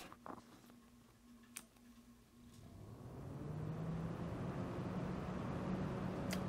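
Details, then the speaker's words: Alphacool Eisbaer 280 AIO CPU cooler fan, replacing a Cooler Master MasterLiquid ML240R whose fan rattled: after handling clicks it spins up to a smooth, steady low hum with no rattle. "difference you notice no rattle"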